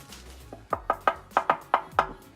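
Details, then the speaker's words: Nissan 370Z stock muffler, removed and shaken by hand; about seven sharp metallic rattles in under two seconds, the jingling heard while driving; something loose inside the muffler, being replaced with a NISMO exhaust. "Hear that jingling? That's what I was hearing driving around everywhere. So it was the muffler."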